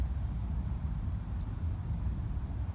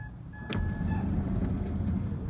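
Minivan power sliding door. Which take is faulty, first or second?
first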